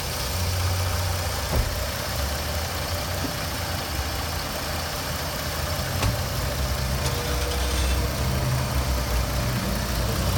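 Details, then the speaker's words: 2005 Jeep Grand Cherokee 3.7-liter V6 with 148,000 miles: even, low idle with steady rumble, no knocks, misses or ticking, purrs like a kitten; normal idle. "2005 Jeep Grand Cherokee 3.7 liter one hundred and forty eight thousand miles fit in the back purrs like a kitten you can hear"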